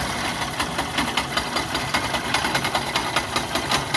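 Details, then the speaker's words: Yamaha YTX: rapid uneven scraping clatter about two or three a second over idle from behind magneto side; the three starter Bendix drive bolts snapped, bolts replaced. "So ito nga ang problema mga bossing. Naputol yung turnilyo ng BX drive. Ayan yung tatlong turnilyo naputol."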